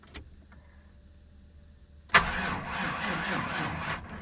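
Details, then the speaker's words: 1997 GM truck 5.7 V8, cold crank no-start, fuel pump replaced a couple of years ago, battery possibly drained overnight; steady cranking with no firing as fuel pressure drops and builds slowly; owner judges the fuel pump failing, possibly bad frame ground. "heuel pressure has dropped let's see what it does a little slow to build up pressure yeah that fuel pump is pooched"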